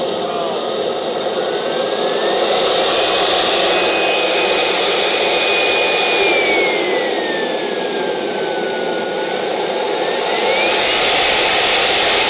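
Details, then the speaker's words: CARF Rebel Hot RC jet's newly installed turbine after the restart check at half throttle, which ran awesome. A smooth whine climbs to a high scream, eases back, then spools up cleanly again. Healthy turbine run-up. "very good engine ran awesome"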